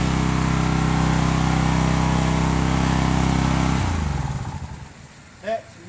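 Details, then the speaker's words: Old Craftsman pressure washer with pump on, water supply connected: small engine hums steady and even under pump load, then winds down smoothly at shutoff; pump confirmed working, repair good. "me lets me know the pump's working on I'm good positive repair there"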